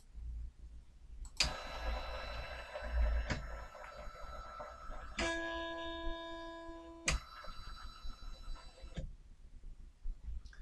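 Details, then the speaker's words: SainSmart 3018 PRO CNC X-axis with GRBL acceleration $120 raised from 1800 to 2500: short stepper whines breaking off abruptly into buzzing as the motor loses steps and stalls; settings too high, so stepped back to 1700. "So I jumped ahead at this point, and I went from $120 equals 1800 to $120 equals 2500. And as you will have seen then, it started to stall."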